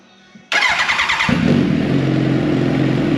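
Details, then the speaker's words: Race motorcycle after the head was pulled to fix a top-end ticking noise, first fire-up: starts instantly and settles into a steady, even rumble with no ticking, oil pressure light off at once; normal running after repair. "off no more ticking yeah that's awesome yeah we fired right off"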